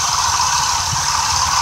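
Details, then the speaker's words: Vintage Chevy P30 motorhome carbureted V8, warmed up, after replacing distributor cap, rotor, ignition module and coil: even steady idle around 750–800 rpm under loud hiss, no misses or knocks; normal. "that's what you're hearing is the Jets so she's idling at around 750 800 rpm"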